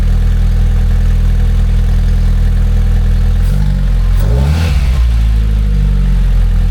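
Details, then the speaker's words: Freshly built MR2 engine (old crank, new block, turbo build) just started: smooth steady idle, then a clean rev that rises and falls back evenly with no knocks or rattles. Normal engine start and rev. "They're running. They do always sound good."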